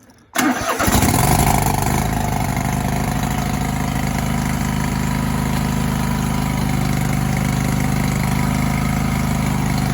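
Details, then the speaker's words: John Deere riding lawn tractor with 613 hours, after cleaning and lubricating the drive belt clutch pulley with WD-40: engine catches quickly and idles evenly, with no squeal or rattle; pulley noise fixed. "so that fix the problem that's what it was"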